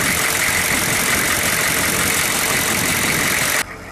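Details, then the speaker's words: 6.5 turbo diesel truck after six years of sitting, warming up with good oil pressure, though a pump underneath is found not running. Steady, even diesel clatter with no misses or knocks; the truck is running good, a normal diesel idle. "but the truck is running good"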